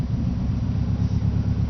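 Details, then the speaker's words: 1995 Subaru WRX GC8, EJ20G turbo, not fully cooled after running; lost boost, sounded like a tractor. Deep lumpy idle with uneven sagging pulses near stalling: misfire from a holed piston (zero compression), plus exhaust leak and cracked turbo. "uh was driving home one day and lost boost pressure and it sounded like a tractor so it was running about probably 2 hours ago it's probably not fully cool down so I'll start it up sometimes it does this and it"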